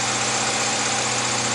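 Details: 2001 Honda CR-V (B20B engine) after replacing a distributor rotor that was missing its rear screw: steady, even idle hum with no stumble, skip or popping; it runs smoothly, the misfire is fixed.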